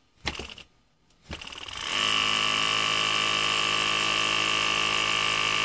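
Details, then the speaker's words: Ungar Hot VAC Model 4000, original pump element: stuttering thumps, then pump catches into steady high whine; motor lacks force to start by itself and runs only after being spun by hand. "you can see that it it tries to turn but it doesn't have enough force to overcome the but you can get it to go if you give it some impetus and it's got some momentum in its rotation"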